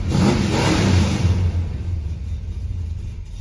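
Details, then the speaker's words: 1976 Dodge Dart Swinger 340 V8 before tuning, small hole in the bottom left unwelded: revs and settles with a clean, even note, no puffing or ticking from the headers; sounds decent. "you know i was gonna weld up the little hole in the bottom but it sounds so decent now i don't feel like it so let's tune on it"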